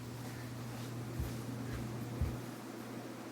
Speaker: This is high speed. It moves like 3,800 CFM on high, which is a lot of air for a fan that is only 24 inches.